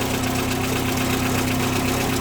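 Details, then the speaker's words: 1990 VW Golf Mk2 idling rough: steady low drone with uneven pulsing beat, sounds like a trash can; owner suspects a temperature switch, unplugging it seemed to improve idle, not confirmed. "all right so i'm pretty sure this rough idol is i think it sounds like a trash can it's so bad pretty sure it's this it's still pulsating a little bit"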